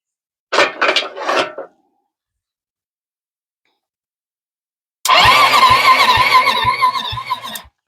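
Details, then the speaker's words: 2006 Zhejiang Kandi 250cc kart, picked up with the intake elbow off and the carburetor slide nearly rusted: a quiet pause, then even cranking with regular compression pulses about four per second; spins freely with fair compression. "yeah sounds pretty good got a little bit of compression in it"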